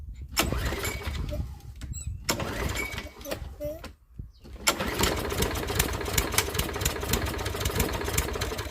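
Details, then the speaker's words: Toro walk-behind lawnmower small engine, warm, after routine service (oil extracted by vacuum, fuel found fine and reused): catches after a few pulls and settles into a steady, even chug with no misses or knocking; normal start and run. "So it's just time to fire it up, as Toro would say, and just check the oil once more, and then it's done."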